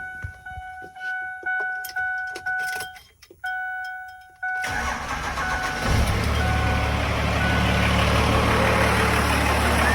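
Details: 12-valve Cummins diesel after AFC tuning: rhythmic warning chimes, then the starter catches and the engine settles into a steady, even idle with no knocks; normal start, smokes a little.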